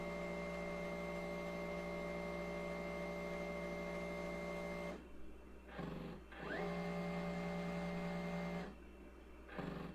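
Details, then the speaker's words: Ditto tape backup drive on an IBM PS/2 Model 30 286, fast-forwarding the tape to the end of the previous backup before appending; loud steady motor whine with low hum and two short pauses, normal. "So I'm guessing it now has to fast forward the tape to where the end of the other backup starts. Otherwise, it could just start where it was on the current spot on the tape."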